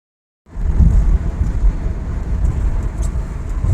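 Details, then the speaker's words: 2010 Subaru WRX five-speed manual after center differential replacement for transmission whine, test drive: car pulls away with a low even rumble and no gearbox whine, fixed. "car and as you guys can hear there is no more noises so the car is fixed"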